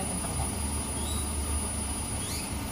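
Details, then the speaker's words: Toyota Avanza with hunting idle: thin steady high-pitched whine over the low idle rumble, very sharp to the ear; mechanic suspects the in-tank fuel pump motor, not confirmed. "yang pertama itu kecurigaan saya tadi itu adalah suara dari motor pompa bensin yang ada di tangki itu bunyinya bengingnya atau suara nging-nya itu sangat-sangat tajam banget di kuping"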